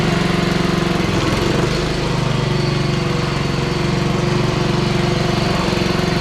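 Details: Honda HRR216 push mower, GCV160 engine, blades engaged under light load: steady drone that sags and picks back up, surging; owner plans carburetor cleaning, air filter already fine.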